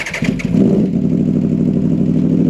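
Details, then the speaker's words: 2014 Aprilia RSV4R after sitting, power loss traced to exhaust servo and flapper valve stuck closed; flap fully open at idle gives loud, throaty, steady exhaust note, much louder than closed, nothing mechanically wrong. "Yeah, so she's open. She's completely open right now. And you can hear, definitely hear she's a lot louder."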